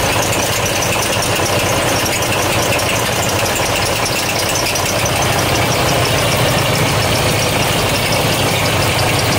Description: At idle, you can hear what sounds like belts squealing and squeaking.